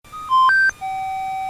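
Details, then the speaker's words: Minelab GPX series metal detector, powered on by pressing and releasing the On switch: short melody of three quick tones then a longer, lower held note in the headphones; normal startup melody. "une courte mélodie sera joué dans le casque audio"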